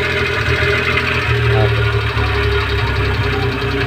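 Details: Suzuki F6A three-cylinder after repair for misfire and loss of power (valve clearance set): settles into a fairly steady idle with only a faint light tapping, running acceptably.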